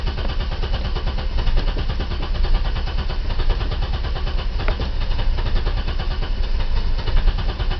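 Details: 1990 BMW E34 520i, M20B20 engine with LPG/petrol conversion, cold engine barely starting on petrol and won't start on LPG. Lumpy rough idle with irregular stumbles and a wavering low thump. Owner suspects the fuel pump. Fuel light always on, gauge dead.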